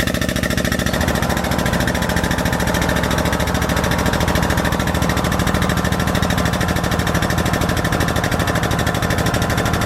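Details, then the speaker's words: Truck onboard air compressor driving an air jack to lift the truck: a fast, hard hammering pulse of about three beats a second that labours and slows. The tank is draining while it still lifts the truck. "can hear it sort of running out of hair I'm gonna leave this lock so you can hear out slowing down"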